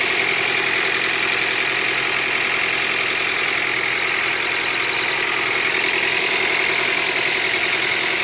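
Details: Honda Accord 8th generation at 63,000 on the odometer: fast fairly regular metallic tapping, about three or four a second, over a steady idle; knocking from inside the engine.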